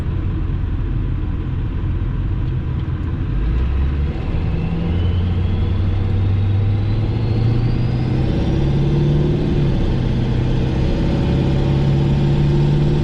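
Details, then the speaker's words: Diesel truck reading only about 1–1.5 psi of boost under acceleration: pulls hard with a loud turbo whistle climbing in pitch as it spools; turbo sounds busy but boost is low, owner suspects a boost leak. "Yeah, like I can feel like that I'm not getting, it feels the same as it used to. Yeah. So I know I'm not getting what I need to get, but I hear the turbo doing so much work, but it's just, the air's just hitting it and it's not capturing it. I got a leak somewhere."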